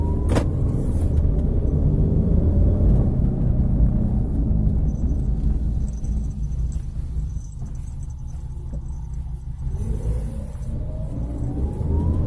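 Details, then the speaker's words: 2013 Toyota Avanza cruising at 40 km/h: steady low droning hum fills the cabin over the road rumble, as the customer complained; the source is still unidentified. "Jadi ada suara dengung di kecepatan 40 km per jam."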